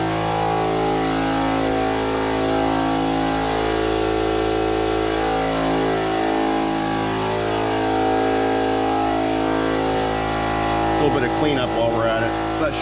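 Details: Campbell Hausfeld HL431500 oiled air compressor, about 2008, after replacing piston, rings, connecting rod, air filter and valve plate (previously built only about 20 PSI): loud, steady constant-pitch pumping drone as pressure builds past 25 PSI; running normally.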